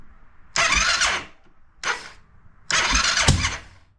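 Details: Honda TRX700XX that ran poorly then quit cranks in three bursts with rough coughs and a pop out the air box, never starting; owner suspects timing, though it is set by the CDI.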